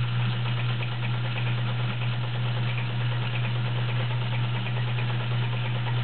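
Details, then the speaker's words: Vintage heavy-duty Kenmore model 1207 sewing machine sewing a wide zigzag stitch. Steady, even low hum with a soft regular patter from the stitching, no knocks or grinding: healthy running. "Very nice machine. Quiet. Okay, straight stitch. You can really hear the power. It's a very nice sounding machine."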